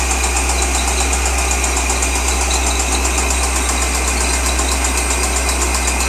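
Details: 2003 Corvette Z06 LS6 engine at idle: fast, fairly even ticking knock about four per second over a deep rumble; engine knock, source unidentified.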